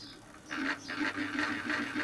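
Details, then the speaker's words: Mini lathe headstock at dead slow spindle speed: rapid rattling chatter pulsing a few times a second, only at very slow speed, otherwise nearly silent; cause unknown, to be investigated. "Head makes funny noises when you're going super slow. Listen, I'll speed it up. It's just got that sort of chatter point."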